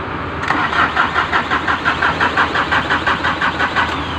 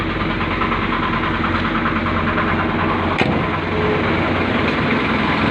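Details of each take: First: Ford diesel hard starting: steady cranking pulses near three per second go on and on before the engine struggles to fire; cause is faulty glow plugs, remedied by replacing them. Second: Ford diesel with hard starting, remedied by replacing glow plug: engine catches and settles into a steady, even idle with smooth constant rumble and no stumbling; starts and runs normally.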